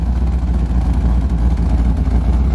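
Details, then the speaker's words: C4 Corvette V8 after TPS adjustment and coolant temp sensor replacement: low steady even idle burble, no vacuum leak hiss, idling much better. "so I'm actually glad I got it running much better there"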